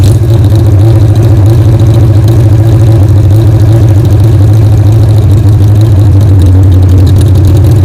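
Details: 1975 Kawasaki Z1 motorcycle on its second start after carb work and new pipes, hot-wired to a battery with a temporary gas tank: loud, even four-cylinder burble holding a steady idle, no misses, knocks or hunting; running cleanly.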